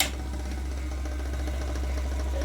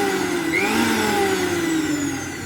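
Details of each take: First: Usha mixer grinder, 230 V AC 750 W, before repair: steady low motor hum with a faint rapid knocking rattle inside as speed varies; motor knocking from worn shaft bushes. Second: Usha mixer grinder, 230 V AC, after bush repair and reassembly: smooth high-pitched motor whine with steady tone sagging slightly as it slows, no rattle or sparking crackle: normal motor run.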